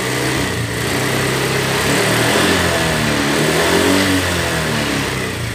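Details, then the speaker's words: Honda Vario 125 scooter after seizing from running out of oil, rebuilt with new 0.25 oversize piston, run in about a day and ridden; smooth even revs, no misses, knocks or rattles, no smoke; normal. "sudah normal seperti semula jadi enggak berbentuk tidak ngebul jadi sudah normal nah ini hai hai hai Hai suaranya juga halus"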